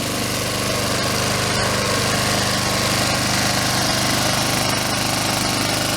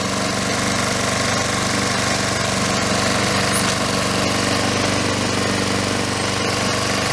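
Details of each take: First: Honda Harmony II HRT216 mower first start after carburetor and fuel system cleaning with fresh gas: steady, busy, even putter at rest; idle seems set high, self-propel not working. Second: Honda Harmony II HRT216 mower after carburetor and fuel system cleaning with fresh gas. Steady, even putter with no misses or surging, idle seems high, self-propel not working; normal running.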